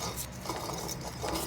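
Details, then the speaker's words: 2008 Ford Crown Victoria P71 AC compressor heard from underneath: rough, uneven metallic scraping and grating, internal grinding meaning the compressor is bad; to be replaced along with the condenser and accumulator. "hear it grinding it means it's bad of course i'm gonna take that off replace that"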